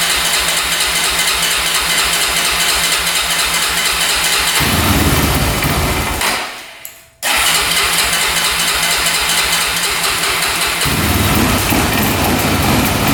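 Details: 2004 Honda 400EX single-cylinder quad after carb clean and valves adjusted to spec, compression up: runs rough and uneven, sags, briefly dies and catches again, no clean idle; still bogging, cause unconfirmed.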